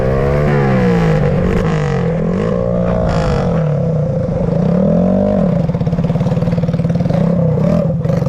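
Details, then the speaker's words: Honda XR80 engine in a shifter kart with clutch and gears, driving flybys after a restart; loud single-cylinder bark rising and falling through the revs, pulling cleanly with no misses or clatter; healthy, strong power. "So here's the rundown. She rips. I think it's the perfect power."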